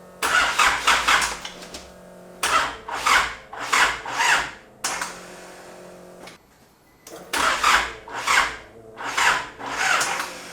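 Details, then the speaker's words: Isuzu 4JJ1 diesel swapped into a Nissan Patrol, first start attempt: slow, labouring cranking in short bursts, turns over but never fires; starter motor getting very hot while leads stay cool, so owner suspects faulty starter. "that wasn't any better but I think it's turning over enough for it to start I'm really suspicious of that starter motor being the issue"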